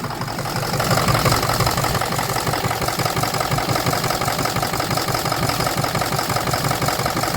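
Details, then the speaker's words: 2006 Ford 6.0 Power Stroke diesel after crank-no-start: uneven, lumpy idle with off-beat stumble and knocking undertone; blow-by check shows a dead cylinder, possibly two; roughness partly blamed on a miswired IPR pigtail shorting and blowing a fuse. "yeah I'm not running very good so actually sounds a lot better but I know it ain't running right come on oh what the this thing's doing"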